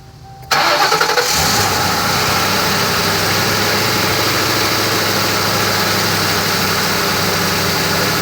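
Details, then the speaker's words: Ford Crown Victoria Police Interceptor V8, started in the rain; starter whirs briefly, engine catches cleanly and settles into a smooth, steady idle with no knocks; a healthy normal start and idle. "away all right and there you guys have it that's what a normal engine sounds like"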